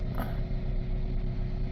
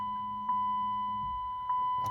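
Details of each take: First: $300 2007 Chrysler Sebring 2.4 idling after plugs, coils, throttle body, valve cover gasket and pedal sensor were replaced; codes still present and O2 sensors not yet replaced. Even low rumble, steady beat, no misfire; sounds much better, slight shake remains. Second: $300 2007 Chrysler Sebring 2.4 restart after a new accelerator pedal sensor, spark plugs, coils, valve cover gasket and throttle body; chime, crank and catch, then a raised steady idle with no knocks. High idle that later came down; codes still stored.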